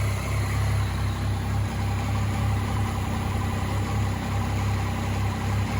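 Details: 2014 Yamaha MT-09 at steady low idle: faint quick ticking about three or four per second, a clicking noise noticed on a ride, cause unknown.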